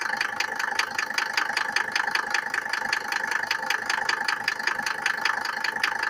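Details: Mercedes W124 with the OM602 2.5 diesel knocking when cold: sharp, regular metallic knocks about two and a half per second over the idle. Cause unknown.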